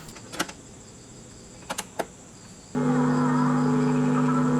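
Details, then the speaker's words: Aiwa CSD-SR545 CD/tape/radio compo, 2000s, BA5417 amplifier IC, on AC power playing a cassette in deck 2; mechanical clicks then steady low speaker hum with very faint program sound, volume control hard to operate, sound only on left channel. "Terdengar suara dengung pada speaker. Suara audio kaset sangat kecil. Volume kontrol sulit dioperasikan."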